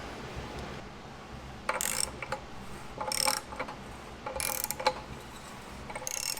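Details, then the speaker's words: Rebuilt 134ci F-head Hurricane engine from a 1951 Willys Jeep truck, turned by hand: scraping rub once per turn, about every 1.3 s; damaged timing cover edge rubs the crankshaft pulley, possibly due to a thicker gasket. "we may have a little bit thicker gasket in here than the original was but this Edge is rubbing on the underside of the front pul"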